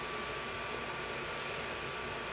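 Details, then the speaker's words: Zotac GTX 460 1GB graphics card fan set manually to 70%, ramping up from 20% through 40% while the temperature drops; a steady, even airy whoosh with no rattle or ticking. Normal cooling fan at high speed. "Well, what it's doing is it's going from 20% that it was at to 40%. It's slowly climbing to get up to that speed of 70%."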